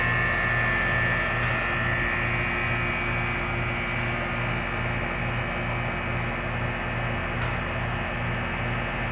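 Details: York AC condenser unit after run capacitor replacement (had been buzzing and cycling in and out): steady low hum with even fan rush and no stalling buzz; starting and running normally.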